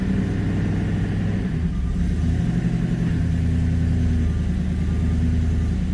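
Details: Manual Ford BA GT Boss 290 V8 on first start after fitting an upgraded intake plenum, before retuning: smooth, steady rumble held at a fast idle that doesn't settle. The idle is too high and needs retuning.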